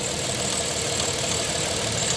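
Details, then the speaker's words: 1997 Dodge Grand Caravan SE, abandoned 4+ years and revived, idling at normal temperature: light, quick ticking over the hum; owner suspects the tensioner or valves, unsure; PCV clicking heard, fans cycle normally. "he that tip tip tip tip tippity tip tip noise trying to decide what that [Music] is almost sounds like it might be like that tensioner or something I I don't know if it's valve"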